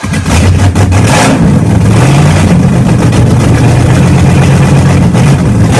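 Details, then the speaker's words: Car engine first run after 3.5 years with a new starter, during camshaft break-in and with no exhaust fitted: very loud open-pipe rumble at a steady fast idle, even firing, no knocks or misses; running well. "so as you guys just saw we broke in the camshaft had the thing running had an idle and good"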